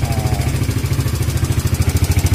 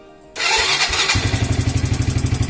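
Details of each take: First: Evo Z motorcycle left sitting a long time, just started after checks. A steady single-cylinder idle with a light, quick ticking on every beat over the exhaust thump. The owner identifies it as tappet noise. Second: Evo Z motorcycle left sitting a long time, started after wiring and engine oil checks. Brief cranking, then it catches at once and settles into a steady, even single-cylinder idle with no misses. A healthy start.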